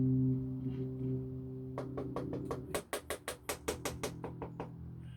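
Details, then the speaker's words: Instrument plugged into amp: sustained bass notes then sharp loud pops crackling in and out; suspected failing pot or cold solder joint rather than a scratchy pot, unconfirmed; electronic crackling and pops in instrument signal. "that's not a scratchy pot you know that is that's a pot going bad or a cold solder you hear going in and out that's not the pot"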